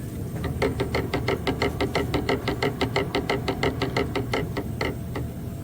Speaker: it doesn't have an insert inside of the face plate so it's bouncing around it's just bouncing around that that beater bar is bouncing around and making noise